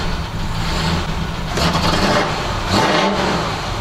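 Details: Detroit Diesel 12V92 fire truck revved cold without warm-up, low fuel, stationary: deep rumble swells through two quick revs and settles smoothly, no knocks or misses; healthy revving.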